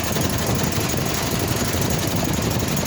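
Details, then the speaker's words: Walker mower with a Kohler CH620 twin, lacking power: a loud, rough, lumpy beat with an uneven chuff as one cylinder is dead. It is misfiring from a failed ignition coil, found by a plug-wire pull test and replaced. "Issue with this is it is only running on one cylinder, so let me show you."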